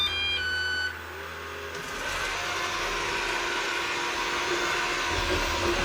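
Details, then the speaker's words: Eufy RoboVac 11 robot vacuum, battery newly replaced: quick series of high electronic beeps with steady red light, then fan rushing; four-beep error meaning roller brush stuck, and the roller is not turning. "So the steady red light before beeps. Oh. The trouble is our roller is not going round. Red indicator, steady on, 4 beeps, rolling brush is stuck, which it is."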